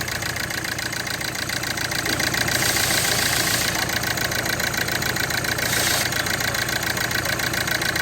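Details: Hyundai i20 petrol engine idling with a rough, pulsing beat of about three to four thumps a second, an engine misfire with no power, attributed to an ECM problem.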